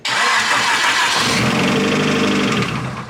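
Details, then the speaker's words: Nissan Silvia S15 SR20 engine, second block, after debris found in engine: cranks, catches, then runs with deep bottom-end rod knock, not head noise. "That's that rod does knock. not sound good. That's bottom end, for sure. That ain't head."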